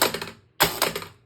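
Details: Gusher electromechanical pinball after cleaning and adjusting switches, slingshots and flippers: crisp hard clacks in two quick snappy bursts; kickers and slingshots firing with full, healthy force, normal action.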